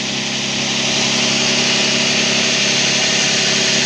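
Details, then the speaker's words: Toyota 1G-FE BEAMS engine on first start after valve adjustment, with worn bucket seats replaced by buckets from another engine. Not yet warmed up, it idles steadily and smoothly with no knock or tick. Normal idle. "первый запуск автомобиля пути регулировки клапанов звука вообще нету она плюс еще и не нагрелась сейчас нагреется ну-ка вообще не будет"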